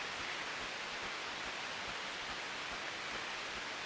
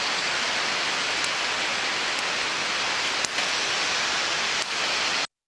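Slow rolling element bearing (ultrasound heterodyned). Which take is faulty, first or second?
second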